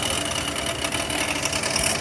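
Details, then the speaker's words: Oldsmobile 88 idling with a busy metallic rattle over a thin hissy running sound; source unseen, owner suspects the power steering pump pulley though steering works fine. "there something in my engine rattling like crazy I hear it but I don't see it"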